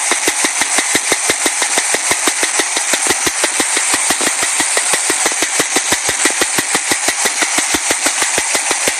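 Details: Chevy Nova after a drive around the block: sharp even ticking about three per second, steady at idle; owner suspects a stuck lifter, not confirmed.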